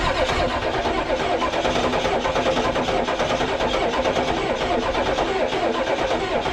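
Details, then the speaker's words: 1994 Ford crew cab diesel, newly acquired project, sprayed with starting fluid: long, fast, steady cranking with even compression pulses and no firing. It tried popping a few times; owner suspects a weakening battery and unknown fuel supply, may prefill the fuel filter. "It tried popping a few times. Um, battery's getting weak."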